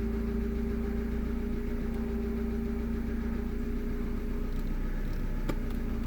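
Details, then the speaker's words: Honda car that was slow to start or just clicking, after tightening the battery post connections flush: fires right up into a smooth even idle with steady low hum, no knocks or misses; normal idle, fixed. "now let's see here should fire right up and there you go fires right"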